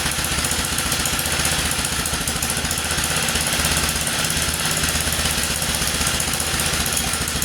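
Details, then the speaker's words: 1947 Whizzer Model H single-cylinder after warming at idle, choke coming off: rapid, even popping holding a steady beat with no knock or miss; now running better. "There, I got it running a bit better now that it's idling."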